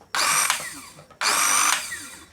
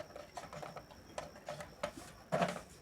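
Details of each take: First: Small mixer grinder with the faulty push button bypassed by direct wiring: two short bursts of high whine that sag and die as the motor drags and stalls. Motor heated up; dry, rusted bushing jamming the shaft. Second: Small mixer grinder motor after oiling: three short high-pitched spin-ups to a smooth steady speed, no rattle or grinding. Runs healthily.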